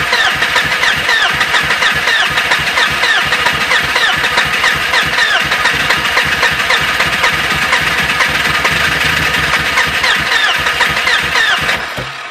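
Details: BMW E36 hard start: starter cranks at a steady three-or-so beats per second for about twelve seconds without the engine catching; long-crank hard start.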